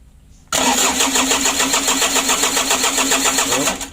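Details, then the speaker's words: Mitsubishi L300 diesel just rebuilt, coolant and oil filled, battery fitted: steady starter cranking about 3.5 turns per second that never catches while bleeding fuel to the injector lines; fuel not yet through. "Kita coba naikkan minyak dulu lur. Oke mas, coba starter mas. Kita tes naikkan minyak dulu."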